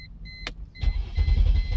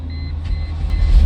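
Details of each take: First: 2001 Mercedes E320 with a warning chime, then the starter turns the engine over in steady pulses but it never fires; fuel pump relay failure, confirmed by bypassing the relay: crank no start. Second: 2001 Mercedes E320 that cranked but wouldn't start, with the fuel pump relay bypassed: engine catches and settles into a steady low rumble with no knocks or misses; starts and runs normally.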